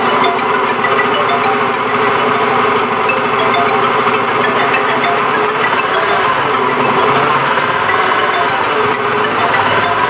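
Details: Honda Beat FI eSP Eco scooter engine: dense, coarse mechanical clatter over a steady running engine with no clean rhythm; rough-running engine, cause not yet identified.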